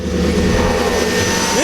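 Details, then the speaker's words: Camaro Z28 V8 sitting about 5 years after Hurricane Harvey flood, first start after reinstalling plugs and wires: steady, even smooth low rumble, no misses or stumbles, not losing compression and spark; normal idle. "hasn't ran that smooth. That purr. It's not losing compression and spark at the same time."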